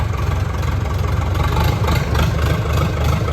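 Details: Massey Ferguson 168 diesel tractor, restoration, idling after a power steering pipe leak was tightened, PTO not spinning, good air pressure; steady, low, even diesel chug, no knocks or misses. Idling healthily.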